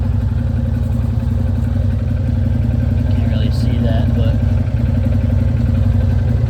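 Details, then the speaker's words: 2012 Arctic Cat Wildcat 1000 stuck in limp mode, cause unknown; revving gives a steady pulsing drone that barely picks up under throttle, reaching only about 2 mph; no seatbelt or belt-drive sensor found. "I give it gas, that's it. And it only does like 2 mph."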